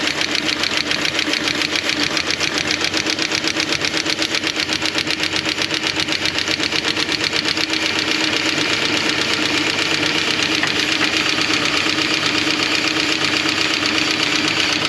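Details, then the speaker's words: Jeep with crate motor, back on normal fuel after chasing a long-running fault: fast, even clatter about four beats a second with an occasional stumble; idle misfire, plugs suspected blackened. "That don't look right. Sounds like it's just got a small miss."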